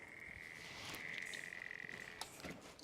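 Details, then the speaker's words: PC tower with an AIO cooler: irregular croaking chirps over a steady high whistle, first blamed on the AIO, then judged a fan changing speed, a very odd noise for a fan; cause suspected, not confirmed. "oh yeah i think it's the fans oh yeah yeah definitely it's that fan that's a that's a very odd noise for a fan to make"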